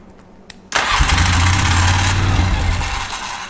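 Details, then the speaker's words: 2003 Polaris Sportsman 400 ATV being started to check charging output from the coil leads before fitting a new rectifier; brief crank, catches at once and settles into a steady idle; normal start. "That thing started right up."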